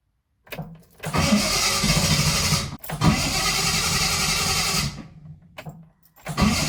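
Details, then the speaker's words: Triumph 2000 with a lumpy-running carburetor, low on fuel and just topped up: two long cranking spells, a pause, then another before it fires; owner suspects the fuel took time to be drawn through. "It's not good. Okay. At least she started now. I know I'm down on fuel. I know maybe it just took some time to suck it through."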